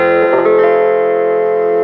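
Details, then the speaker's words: 1960s Selmer Little Giant valve amp (EL84 class A, ECC83-type preamp, EZ81 rectifier): held guitar chord comes through thick, heavy, steady distortion with no crackle or hum; breaks up with any signal, as apparently intended; normal overdrive. "it distorts like crazy and i think that's probably what it was supposed to sound like"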